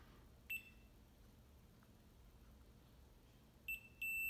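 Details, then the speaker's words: Zenith 5S119 antique radio variable tuning condenser, continuity tester from ground to terminal: tester chirps then gives a solid continuous beep as bent vanes let rotor and stator plates touch, shorting the condenser. "you could hear the short as we're connecting you to the ground here to the terminal so the ground is connected to one one side of the I think one's called a rotor and the other side is called a stator"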